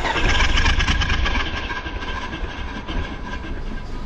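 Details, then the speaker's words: Toyota Yaris, about 2009, with a new alternator and belt, squealing on the first cold start each morning: idling under air-conditioning load with no squeal or chirp; the accessory belt sounds quiet and healthy. "well so far so good no squealy noise let's do a full turn all the way over give it throttle the idea is i'm trying to put as much load on the belt as possible"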